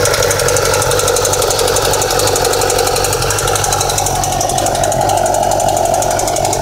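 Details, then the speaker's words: 2008 Yamaha R6R, cold start after sitting overnight: fast busy mechanical clatter at about three beats a second over a high-revving cold idle, which then goes away; noise stays with rpm when riding and stops when the clutch is pulled in. Cause unconfirmed. "bike's been off all night gonna turn it on and let you hear that noise how it comes on and then goes away"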